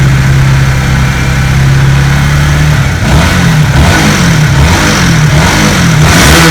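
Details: Honda CB150R engine after rebuild fixing a rough-running engine (shim worn, valve clearance too loose, worn clutch parts replaced): idles steadily, then revs up and down smoothly with no ticking or roughness.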